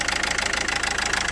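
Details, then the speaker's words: Renault Scenic III 1.5 dCi with a fault code on injector 1 (gearbox side). Rough, uneven diesel idle clatter; unplugging injector 1 changes nothing while unplugging another worsens it. Dead injector 1 misfire. "When we unplug another one, the engine start working worse. It means that injector 1 doesn’t work."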